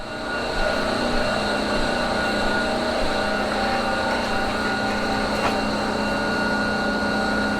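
Steady, even electrical hum with a constant pitch and no knocks or surges; converter running normally.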